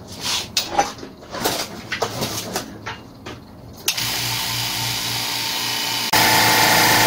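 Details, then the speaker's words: Oilless low-noise air compressor, test after repairing an air leak and resealing parts: after some clatter, motor settles into steady even drone with low hum, no knocks or hiss; pressure rises properly; normal running. "Now, the pressure has risen exactly like this, and now the most important thing is whether the air leaks again or not."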